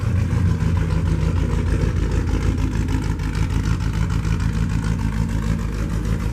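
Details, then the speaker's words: 1949 Chevy custom flatbed truck with dual exhaust exiting the same side: low, even idle rumble with a steady pulse and slight rev swells, no knocks or misses. "So it's got dual exhaust. They both exit out the same side."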